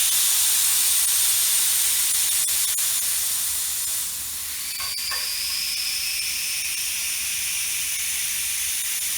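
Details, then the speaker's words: Valve core unscrewed from the tire's valve stem: steady high-pitched hiss that fades slightly as all the air leaves the tire, normal deflation before breaking the bead. "And then all the air comes out of the tire. Once the sound of air leaking stops, all the air is now out of our tire."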